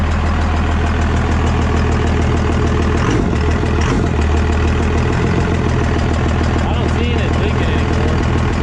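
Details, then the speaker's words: 24-valve Cummins diesel pickup just started after a P-pump swap: loud, steady, even low clatter at idle; running normally. "the truck does run. It sounds like it's running pretty good."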